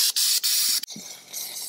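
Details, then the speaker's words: Equilibar BR1 blockage-resistant back pressure regulator on supercritical CO2 extraction setup with water added: sharp hissing bursts of gas venting and crackling ice forming and shedding at the expansion, then steady hiss; flow continues and pressure holds within half a percent. "as we're pumping water through the system you can hear the crackling of the ice as it forms and sheds away from that expand"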